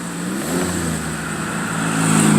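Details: 2006 Chevy Equinox after muffler replacement: engine revs smoothly from idle with a clean even exhaust note, no rattle or blowing.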